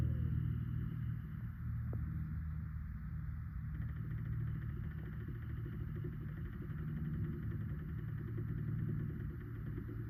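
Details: RV fan near fuse box/converter area: low steady hum with uneven rattling flutter over about ten seconds; whirring fan noise, cause unknown.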